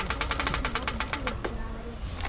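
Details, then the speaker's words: Bicycle on loaded bikepacking tour Lake Garda to Trieste, near Padova: fast even run of sharp ticks, about eight a second, then pause; drivetrain clicking, rider suspects rear hub freewheel or crank bottom bracket, unconfirmed. "My either rear hub or crank's making funny noise, bottom bracket. Doesn't sound good, does it?"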